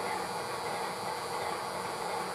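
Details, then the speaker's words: MTH #57 Propane Turbine locomotive (20-2261-1, delivered 2001) rear smoke-unit fan motor on track power with smoke on, after a drop of oil: constant hissy whir, thin high whine, faint rattle, slightly quieter as it runs; fan motor possibly dying, later replaced. "and it still makes noise but it seems to be a little quieter than it was before and as it gets going it tends to drop in you know maybe a deciel or two"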